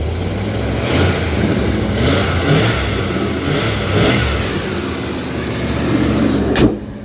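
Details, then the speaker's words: 1990 Ford F-150 V8, cold and idling, blipped a few times then cuts out and stalls as revs drop; stalls every time revved like this, especially cold; exhaust leak at manifold/donut flange also audible. "yeah it stalls every time you rev it up like that it stalls so I I managed to catch it on camera that's exactly what happens when it's cold especially and it's idling"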